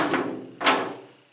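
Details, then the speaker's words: Removed fuel tank from a 1936 Chevy pickup, lifted and tipped on a stand: two heavy sliding clunks inside as it tips; something substantial is loose, cause unknown, owner wonders if it is part of the sending unit float. "You can hear it as it slides back and forth. It's something substantial size. I don't know what it is."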